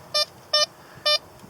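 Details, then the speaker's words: Blisstool V3 metal detector, discriminator toggle on 1: four short high beeps about half a second apart, clipped brief signal that pinpoints poorly on the target. "See, if I turn this discriminator toggle on 1 at those settings, fine on"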